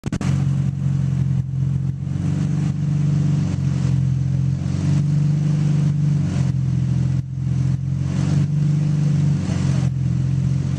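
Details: GTR on a dyno, engine held hard under load with a rough, uneven drone and repeated brief dropouts in the note; misfiring under load.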